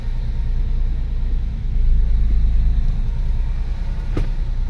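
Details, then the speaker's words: Porsche 996 C4 after a clutch repair (faulty release bearing and a deformed part), engaging reverse and rolling back: a steady low engine rumble with no grinding or chatter. Clutch engages normally. "so yep this clutch is working properly you sorted out the problem the problem was the actual release bearing"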